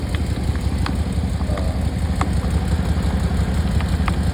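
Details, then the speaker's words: 2013 Dodge Charger idling after a water pump replacement, with coolant spewing. There are faint, irregular light clicks every second or so over a steady idle, not a rhythmic knock. The owner suspects an air pocket in the cooling system. "I'm now just nervous because I'm just feeling kind of clicking over here."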